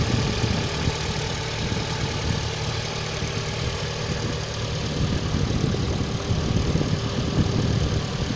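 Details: Engine knock at idle: dull, repetitive knock under the low rumble, keeping steady time with the idle.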